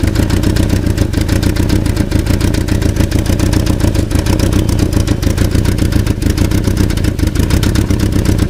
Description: Passat alemão com barulho no motor, barulho identico com o motor, catalizador solto.